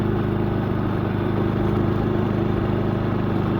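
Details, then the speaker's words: Predator 3500 generator at high elevation, run on choke after maintenance, now runs with a steady, even drone and no surging, much better than before; 12.4 volts shown. "yeah that sounds really good way better than before"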